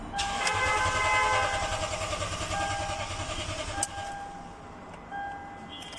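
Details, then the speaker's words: 2015 Toyota Sequoia, crank but no start: steady starter cranking about 3.5 turns a second, never firing; pump relay good, no supply at the fuel pump control module by the spare tire; failed fuel pump control module. "The problem is the fuel pump control module is not [Musika] working."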